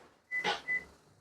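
Two short high chirps, the second a touch longer, on locking. The alarm is arming normally.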